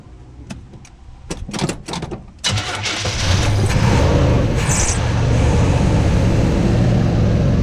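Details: Mostly original 1986 Chevy C10 with HEI distributor, sat a couple of years. Restarted with the top fan shroud off and a couple of vacuum lines plugged: clicks, cranking, then it catches into a loud, lumpy run after long storage.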